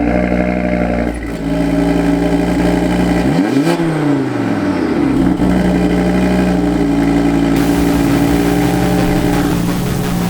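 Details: Audi RS3 five-cylinder at cold start: deep throbbing warble with a quick rev that swoops up and settles back to a steady fast idle; normal, healthy engine.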